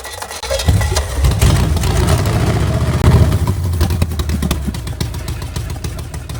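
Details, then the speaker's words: Engine bought with a reported knock and said not to run, now running on the stand; steady, even note with no tapping or knock, sounding like a good motor. Normal running engine. "Man, this sounds good to me. What do you think? I don't hear no knocking."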